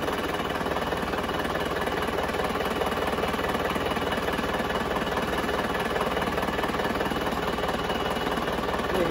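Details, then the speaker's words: Diesel car engine rebuilt but still complained of running very rough, idling with all injectors connected, before pulling injector one: steady even clatter with no stumble or harsh knock, not missing, not rough; normal diesel idle. "nah mesinnya suaranya seperti ini ya ini tidak timpang tidak kasar"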